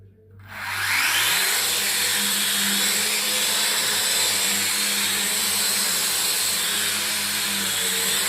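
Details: Drone that spins but wouldn't fly, after fix, remote connected; motors wind up quickly to an even steady high-pitched buzz without stutter or grinding, running properly.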